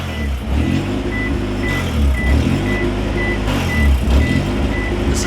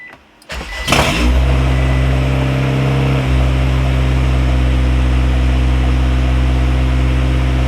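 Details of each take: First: Honda B-series BAWD Civic wagon on restart after vacuum-leak work, aiming for 1700 rpm high idle: uneven idle, low rumble swelling and sagging every second or two under a steady chime; later replacing ECT sensor and thermostat. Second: Honda Civic wagon, B-series engine, with a vacuum leak and check engine lights, started as if cold, targeting about 1700 rpm high idle: cranks, catches at once, then settles to a steady, even high idle with a slight step down. Normal cold-start high idle.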